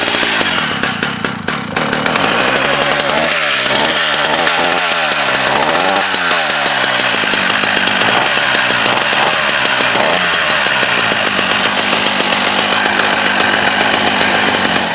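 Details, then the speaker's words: Old Husqvarna F 70 chainsaw, carburetor rebuilt a year earlier, restarted next day without priming: crisp even two-stroke buzz at steady high pitch, faint ragged burble, no misfires; normal running, owner may raise high-speed RPM. "and there is the stop switch very solid and very good and it's restarted good as anything I maybe need to make it higher on RPM uh on high speed but it looks very complete very nice"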